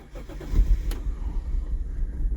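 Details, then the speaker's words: Imported twin-turbo Toyota Soarer (Supra engine), 126,000 km, first start on very low fuel after oil was added: catches and settles into low, uneven, stumbling idle; rough cold-start running, possibly from the added oil, smoothing out shortly after. "running a little rough right off the bat it could be that little bit of oil that's in there"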